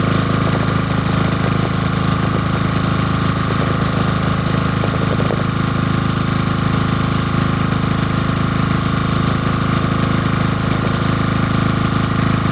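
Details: Generator cold start in winter, air filter kept on, aftermarket carburetor and tank: steady, even low hum with no misses or knocks; caught and idling cleanly.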